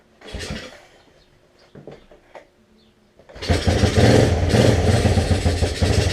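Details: 1986 Honzuki 250cc quad after slide carburetor cleaning and fuel turned back on: a few weak cranks, catches after about three seconds and settles into a steady, even run; normal start and idle.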